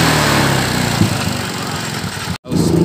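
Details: Yamaha Mio M3 scooter after repair of a rough, noisy head, where the worn rocker/tappet roller and camshaft were faulted, fixed without removing the engine: it revs crisply and settles with no ticking or chatter from the head, a clean even exhaust note; normal.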